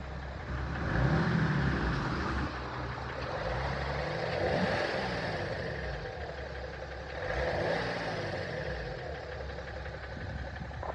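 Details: 2007 BMW 530d E60/E61 M57N2 LCI diesel idling: a light, fairly regular tick about three times a second rides over the low rumble. Owner unsure whether bearings or valves are the cause.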